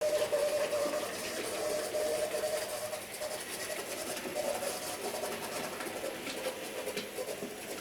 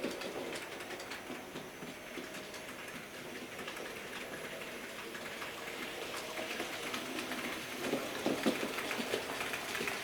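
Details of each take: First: J36 "Haig" model steam locomotive running with a scratchy, uneven grind and thin motor whine, still present after oiling push rods and tender and greasing the driving cog; grinding from dry motor bearings, fixed by oiling. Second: Model J36 "Haig" steam locomotive after oiling push rods, tender and engine bearing and greasing the driving cog: runs smoothly with a soft, even whir and light rail clicks, the earlier grinding gone; no bearing noise.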